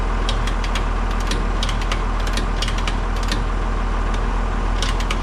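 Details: Baler test run on the Massey Ferguson's PTO after new pickup bearings replaced a cooked one, freshly greased: a steady tractor drone with light, fairly regular ticking from the baler mechanism, no knocks or grinding. Normal operation.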